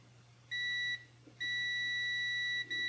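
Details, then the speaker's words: Multimeter test lead while diagnosing a no-spark Mercedes 560SL: continuity beep starts, drops out and returns in uneven bursts with nothing moved except thumb pressure; resistance reads within spec; intermittent short in the lead, to be replaced. "I'm not moving anything except taking my thumb off or not squeezing so this thing has a short and sometimes it stays on"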